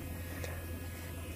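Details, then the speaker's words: Gator fuel system during a fuel filter change; a quiet, constant low electric buzz with bubbling as the pump primes and fills the new filters. Normal fuel priming pump buzz. "Now you can hear them filling up. You can hear them bubbling too."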